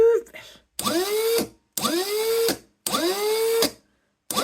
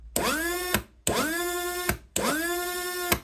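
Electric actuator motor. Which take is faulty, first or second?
second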